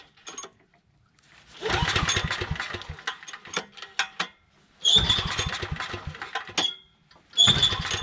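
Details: Briggs & Stratton Storm Responder 5500/8250 generator with replacement carburetor: uneven pull-start bursts, then the engine catches and settles into short busy runs between pauses; starts and runs fine.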